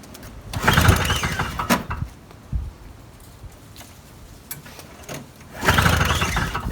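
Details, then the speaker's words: Old Toro two-stroke snowblower, with Sea Foam in the carburetor and the primer bulb popped off: on half choke it fires in short ragged bursts that die out at once; fires but won't keep running. "fired though so that's a good sign more than i got last time"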